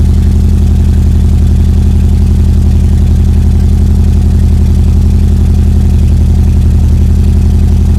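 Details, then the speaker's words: EJ22T DOHC engine at first start on a RobTune EJ20G ECU with ignition converter: low, lumpy idle, vacuum only about 10–15, running progressively lean; sounds like one cylinder missing, cause suspected, not confirmed. "yeah it sounds like it's missing on one of the cylinders is we're gonna really [ __ ] lean"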